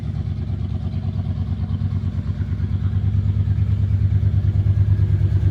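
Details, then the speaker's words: 1996 Ford F150 parked in a barn, where rodents chewed the injector wires: idle running a little off, with a rhythmic stumble about three times a second and uneven lope; misfire, to be fixed by replacing the injector pigtails. "okay as you can hear it's running a little bit off uh being up here in the barn it parked up here and rodents got in and chewed injector wies so today we'll be changing out injector wires"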